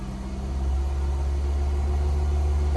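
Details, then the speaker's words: 2008 Ford Focus SE 2.0 L with new battery, held at about 2000–2200 rpm, headlights on, alternator test reading 14.3 V: steady deep drone, no knocks, surges or whine — normal raised idle. "increase the speed to about 2000 rpm so we're going to kick it up about right there 2000 rpms okay we're good right there"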